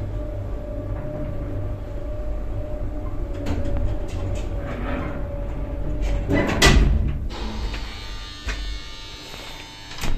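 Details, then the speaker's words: Classic 1960s Marryat & Scott service lift in a rundown shopping centre; riding in the car: steady low hum, constant mid-pitched tone, smooth with no knocks or grinding; really good, healthy lift motor sound. "that's a really good motor sound and let's take a ride in another one of the mar Scots here"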